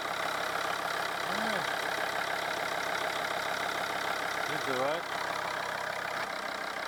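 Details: Volvo V50 D5 diesel after replacing the faulty alternator freewheel (sprag clutch) pulley: first start settles into a steady, even idle with no rattle or squeal from the front of the engine; runs clean.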